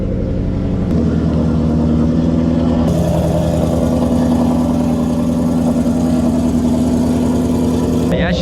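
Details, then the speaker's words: Ford 5.0 with an MT-82 (third gear broken) started on E85 after sitting a long time, with long-tube headers (check engine light from start-up misfire): deep, loud V8 burble with a steady, slightly lumpy pulse, idling healthy and even. "she sounds good with the pipes, long tube headers. Sounds pretty good."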